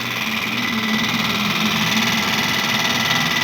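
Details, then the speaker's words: Shop refrigerator: a loud, steady fan roar with a rapid papery flutter, caused by a snack bag behind the fridge slapping the fan blades. "lá você t conseguindo ver lá um pacote de salgadinho Pingo de Ouro é que tá fazendo esse barulhão tá batendo na hélice"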